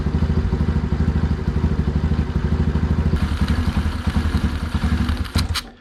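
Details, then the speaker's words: Small engine on homemade 607 lb tractor: low, slightly lumpy thudding idle about two and a half beats a second, never crisp; too rich, smaller slow jet needed. "too rich yep so we need a smaller slow jet all right so we need a smaller slow jet"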